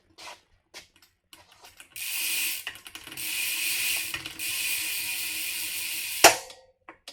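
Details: Bicycle rear wheel during maintenance with the Park Tool WAG wheel-dishing tool, brakes just lubed and pulling well: fast, even, crisp freehub clicking for a few seconds as the wheel coasts. Pawls engage cleanly; normal freehub ratchet.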